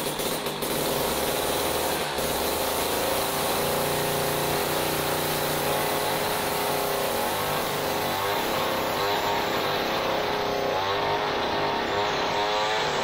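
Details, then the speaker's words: Jiffy Model 30 ice auger (about 8 in), unused for several years, last run on ethanol gasoline, now on cheap premix after choke and prime, running off the carburetor: steady two-stroke buzz, slight breakup (four-stroking) shows it isn't running lean. "we don't want to have it run you know wind right up uh you can hear that kind of breaking up just a little bit that's four stroking and that means that we're not running lea"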